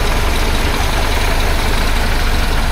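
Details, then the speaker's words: 1976 BMW 2002 (E10), re-jetted Weber carburetor, getting fairly warm: low even rumble with no misses or hunting, settling into a steady smooth idle before idle air mixture adjustment; smooth idle. "Sounds like it's pretty nice. Hey, who knows? might be okay."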